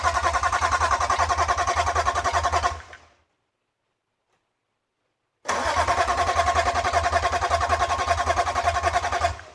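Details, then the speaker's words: BMW E46 M3 Touring wagon with swapped S54 engine, first start attempt using M3 steering column and EWS: two bursts of quick even cranking, about three and a half turns a second, no firing; crank, no-start, fuel pressure next to check. "It's trying. At least it cranks. This is new."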